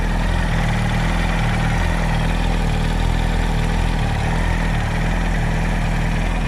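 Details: 2007 Yamaha R1 idling steadily with a rapid, regular knock in the low rumble; the owner suspects the camshaft or the clutch springs or basket, unconfirmed.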